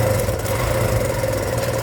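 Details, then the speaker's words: Kawasaki Barako 2 motorcycle, noisy and weak pulling: intermittent light metallic jingle like loose coins inside at idle and when revved; mechanic suspects the timing chain. "Parang may ano ah, barya-barya sa loob ah. Parang may barya no."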